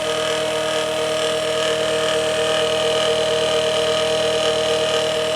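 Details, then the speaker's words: Late-1980s Quasar VH5471-K VCR (Panasonic mechanism) in play mode: loud steady high whine over a fast even whirr, capstan running full speed and very noisy; speed-control fault suspected, idler also faulty. "so another customer is like a running full-speed whenever it is supposed to be playing you can see through and it's also very noisy"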